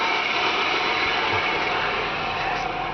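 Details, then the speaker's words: 2000 Buick Regal, 3800 series V6, automatic, low miles: steady, even running hum with no ticks, knocks or squeals; sounds healthy, nothing wrong. "Go in here and sounds good, nothing wrong with it. It should provide many years of good use."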